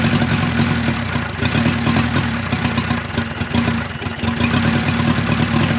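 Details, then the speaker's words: 1955 Renault 4CV, off the road since 1970, engine once frozen (pistons, cam, lifters, rockers) now freed, running with fuel pump and carburetor hooked up and coolant in; low, steady putter with slight rev rise and fall, no knocks or misses, sounds good. "well there you have it that little engine actually sounds good"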